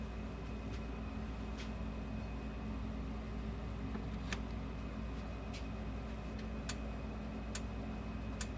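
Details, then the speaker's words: Sens O Matic solid-state electric fence energizer after repair: sharp, dry clicks roughly once a second over low room hum, light flashing each pulse, fairly quick pulse — normal operation. "you hear it flashing and hear it clicking and see it flashing. Let's get a tester on here. So as you can see, it kind of has a quicker pulse."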